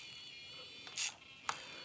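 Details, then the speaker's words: Traxxas Slayer Pro nitro truck throttle servo driven to full swing in reverse: high-pitched whirring with sharp gritty bursts; throttle servo dead, steering servo fine. "oh throttle servo is dead and that is full swing in reverse"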